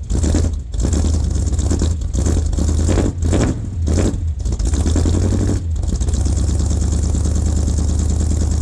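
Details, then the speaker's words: 1978 K25 with freshly rebuilt engine (new valve springs, seals, valves), first real cold start at about -8°C: catches with a few uneven blips, then settles into a steady, deep, even idle with no knocks or ticks. "ça va être son premier vrai cold staff il fait environ -8"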